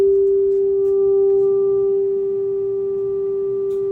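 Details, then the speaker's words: 1965/1967 Fender Deluxe Reverb tube amp, original, under repair after many fixes, fed a test tone (about 400 Hz): pure steady tone without wavering, no hum or buzz, amp passing signal cleanly and working as it should. "that sound like music sounds like music to my ears"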